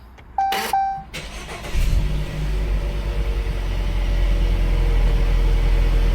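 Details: 2018 Jeep Cherokee with intermittent hot no-start, after throttle body cleaning and relearn: chime, quick crank, then a steady smooth idle with no stumble and RPM rising smoothly; clean, healthy start.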